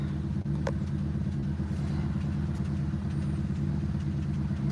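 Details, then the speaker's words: 2007 Honda Civic 1.7 L, start then light throttle: uneven, lumpy idle with low rumble stumbling about twice a second, trying to stall; misfire on cylinders 3 and 4, suspected bad ignition coil packs. "So I'll start it up. It'll run like crap. If I give it some gas, it'll start running and trying to stay running."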